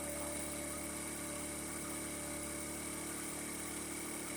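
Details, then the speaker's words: 50cc Chinese scooter with 13 miles, after draining water-contaminated fuel, a new spark plug and an idle adjustment: warm, steady, fast even putter with no misses or knocks; charging about 13 V at idle; normal. "sitting at idle now it's charging at 12.90 almost 13 12.99"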